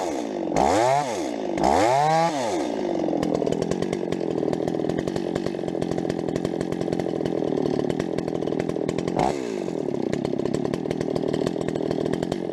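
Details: Rebuilt Stihl 026 two-stroke chainsaw, cutting: revs twice, bogs into the cut, irregular pops through the high full-throttle buzz; mixture tweaks didn't help, owner suspects spark plug too hot, unconfirmed.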